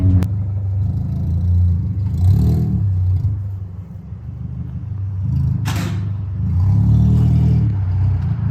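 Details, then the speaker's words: Honda Element at 70 mph on the freeway after its catalytic converter was stolen, on the way to a muffler shop for a replacement: a loud, deep, steady exhaust drone that swells and fades with load, from the open exhaust with no catalytic converter. "i'm doing right now that's 70 on the freeway and that's the noise you get from the cattlewood converter"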